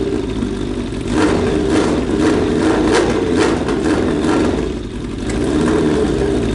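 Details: Suzuki Bandit 1200 with a cheap eBay exhaust, its mounting bracket pulling through the bushing: the engine settles into a steady, even idle with smooth throttle blips. The note is deep and slightly quieter and more muffled, with nothing rattling; it sounds healthy.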